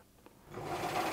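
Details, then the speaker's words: Bernina Record 830 after replacing the noisy bobbin winder with a new one: a quiet start, then a soft, even whirring hum as the bobbin winder spins up smoothly, much quieter than before. "There we go. A lot nicer."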